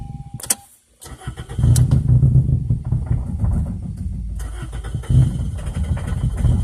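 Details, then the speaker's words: 2002 Toyota Corolla LE, four-speed automatic, bad motor, 112,000 on the odometer, check engine and battery lights on: cranks, catches, then lumpy surging run, cause not identified; rough running engine. "four-speed automatic at the overdrive yeah sounds like a bag of crap"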